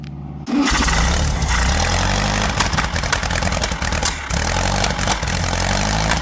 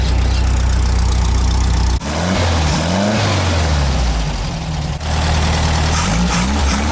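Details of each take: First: Car just fitted with a Bosch ignition system, timing not yet set: it catches and runs rough, stumbling and misfiring. A high-tension leak is suspected rather than timing, and timing will be advanced roughly. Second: VW Fusca (Beetle) after quick install of a Bosch electronic ignition, roughly timed then set with a timing light: engine settles into steady idle and picks up cleanly on light blips; later slight hesitation under full throttle in third, suspected high-tension leak (distributor cap/rotor).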